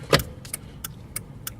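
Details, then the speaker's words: 2000 Jeep Cherokee after combination turn-signal switch replacement, key in run: quick, crisp flasher relay ticks about every third of a second over a quiet cabin. The turn signals work in each position and the hazards work, so the flasher is cycling normally. "the clicking my turn signal is working needs each position now the hazards are working"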